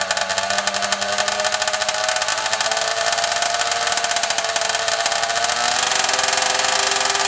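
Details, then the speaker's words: 80cc Walmart motorized bicycle two-stroke after rebuild with new parts, carburetor flipped to clear exhaust: crisp, rapid crackle running evenly and picking up slightly, no misses or rattles; runs well. "oh all right sounds like it's iing good sounds like it's hling good"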